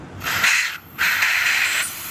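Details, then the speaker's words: Saturn Vue CVT transmission, forward clutch piston out of the car, air blown in: steady hiss in two bursts as air escapes past the faulty piston seal, bubbling, and the clutch won't apply; it engaged late when the fluid got warm or thin. "So if I put more, still don't apply. So it's looping around this seal."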